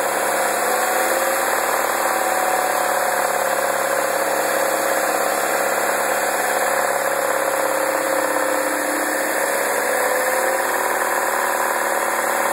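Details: 2009 MINI Cooper (non-S) at idle and revving: steady idle with a dry metallic rattle that comes through on the revs; rattle, source not pinned down.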